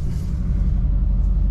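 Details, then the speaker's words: 2007 GMC Sierra LBZ Duramax diesel after a turbo replacement for no boost; the turbo now responds and the vanes move, with boost confirmed on manifold air pressure data; deep, even diesel rumble with no whistle, surge or rattle, idling smoothly. "I mean, this thing's definitely got boost. I can feel it. I can feel the turbo respond. I can hear it respond. So we're good."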